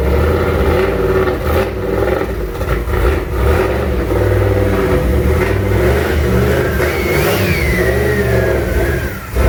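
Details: Freshly built junkyard 351W turbo V8 in a 1967 Mustang at first fire-up, with new headers and wastegate plumbed into exhaust exiting by the fender; revs up and down, lumpy and uneven between blips; runs but definitely needs a tune.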